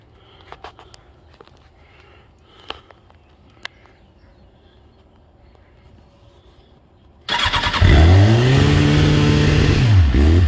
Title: Suzuki GSXR 1000, 5k rpm high idle on startup then lobes from cams?